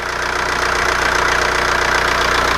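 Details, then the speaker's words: 2002 Jetta TDI diesel at 765,536 km, with its original engine, turbo, fuel pump and injectors, idling after the vacuum pump was sealed with epoxy and the turbo bracket welded. Steady even clatter with no stumble or heavy knock; sounds good for its mileage. "And the engine sounds good too, the amount of mileage that it's got."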